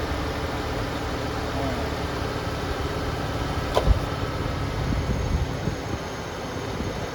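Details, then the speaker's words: 1989 Ford Ranger idling after replacing a leaking power steering pressure hose: steady, even idle with a low rumble and no knocks or squeals; sounds healthy. "So far so good."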